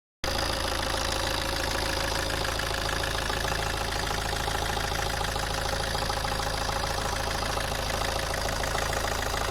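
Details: Alfa Romeo 159 JTD 150 hp diesel idling steadily with a light, fairly regular tick a bit over twice a second; owner unsure whether the noise is normal, source not pinned down.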